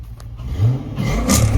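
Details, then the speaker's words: Chrysler 300 with swapped 20,000-mile 6.1 Hemi SRT8 engine, first start, no exhaust fitted, no cold air intake, no driveshaft: light free-rev blips in park, clean V8 rise and fall with intake roar louder than exhaust. "Why do I hear the intake is louder than the exhaust? No doubt. Why is the intake louder than the exhaust?"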